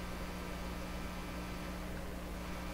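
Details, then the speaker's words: Nordmende 3004C radio during AM broadcast band alignment, probing at the audio detector diode with volume full; steady low buzzy hum with faint hiss in the audio output, suspected to be introduced by the meter. "so this is where the audio is derived and you can hear quite a hunk in there"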